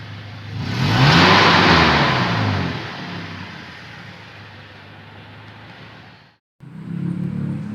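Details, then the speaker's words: 2006 Toyota Innova manual, before decarbon/tuning service, complaint of rough sound, sluggish pull, smoky exhaust: revs rise slowly, peak without crispness, wind down lazily, flat and down on power; sluggish revving. "ini ngempos setiap kita gas Hai naiknya lambat banget mirip naik naiknya lemot"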